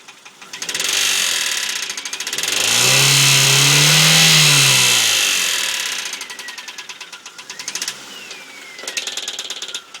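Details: Engine revving with rapid metallic tapping that ticks on as it settles back; bottom-end rod knock suspected, possibly fading, cause unconfirmed.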